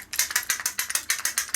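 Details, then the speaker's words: Bosch starter motor (BMW 740 M60 / Jaguar X300 type) on the bench after cleaning during rebuild: starter clutch freewheel, crisp even clicking about six or seven times a second, no grinding; moves really smooth, healthy. "moves really smooth"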